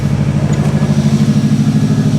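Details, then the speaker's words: Freshly reassembled Subaru engine back in the car, first start on a different battery: even steady idle with regular low throb, no knocks, ticks or misses; normal idle. "so well uh it starts it runs it sounds as good"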